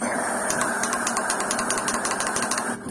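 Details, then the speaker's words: VW Golf 3 single-point (mono) injection injector removed and pulsed with a 12 V supply while cleaning with carburetor cleaner: crisp sharp clicks in quick bursts with short spray hiss; injector opening and closing cleanly. "Все, слева минус. Слышите? Щелкает. Отлично."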